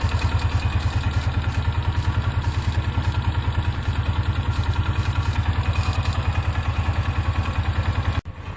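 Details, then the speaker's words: 2003 Polaris Ranger 4x4 500 after replacing leaking cam chain tensioner seal and gasket with RTV: steady, even low putter about 200 pulses a minute, no knocks or rattles; idled about 10 minutes, still dry. "Well, it's been idling now for about 10 minutes. So far, no leaking, no spraying. Still good and dry."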